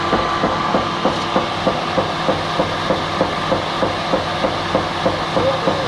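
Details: Rhythmic knock about three times a second over a light mechanical hum, apparently once per turn of the unloading auger; the engine is wobbling about 5–7 mm. Cause not confirmed.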